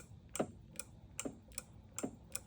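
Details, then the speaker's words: Sur-Ron electric bike after hydraulic brake upgrade, quiet room: crisp paired clicks every half second from the brake lever's built-in switch, normal, usable for a brake light. "it has a switch built into it, so I can tie the switch into a brake light and actually have a working brake light."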